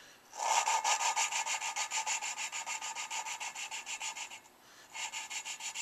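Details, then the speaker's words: Suzuki Sidekick cylinder head rebuild, lapping new valves by hand with a suction-cup tool: quick back-and-forth rasping strokes, loud gritty grinding at each start that fades; valve not yet seated, keep lapping until the initial grinding disappears. "you hear how it starts out one sound and then it kind of goes down I want to keep doing this until that first like loud grinding scratching sound completely goes away"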